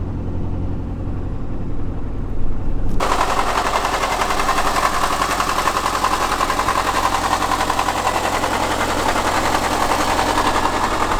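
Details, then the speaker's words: Subaru Forester boxer engine at cold start: loud, rapid, rattling knock from a failing timing belt tensioner, not the typical Subaru rod knock; the engine still runs well, and the tensioner is to be replaced. "This is coming from something else, and this is actually the timing belt tensioner, and this is what I'm gonna change today."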